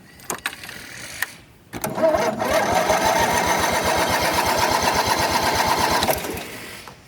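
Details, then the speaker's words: John Deere 225 riding mower being jump started from a dying booster: the starter drags the engine over slowly, about three turns a second, and it never catches; owner suspects the 5-year-old battery or the starter. "It's not going to start now. We'll let it charge a minute. I know that booster's getting ready to die too."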